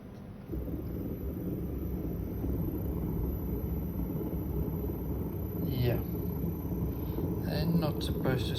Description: Testing this servo motor and it sounds awful, time for a new one.